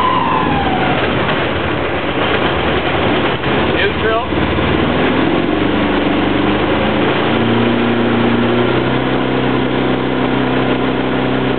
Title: sailboat engine whine noise